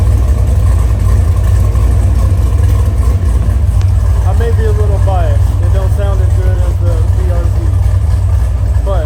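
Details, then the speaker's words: LS3 V8-swapped FRS drift car after a fluid power-steering rack conversion, a new longer belt, and the fix for the earlier power-steering noise: deep, even rumble at steady idle with no ticking or manifold puffing; it idles normally. "hopefully all that noise that you heard in the previously, whenever we were messing with the power steering, hopefully all that's gone, and it sounds like a normal car again."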